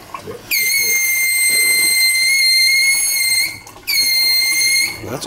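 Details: Kitchen faucet, hot side only, piercing steady high-pitched whistle starting abruptly, holding about three seconds, cutting out and returning; faucet later replaced.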